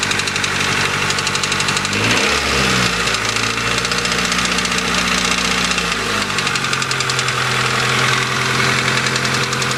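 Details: 1992 Honda Accord, oil and coolant just topped off, busy idle with a fast metallic ticking-knock persisting through a brief rev; owner unsure whether a rod or valves needing adjustment, plans oil change to check for metal.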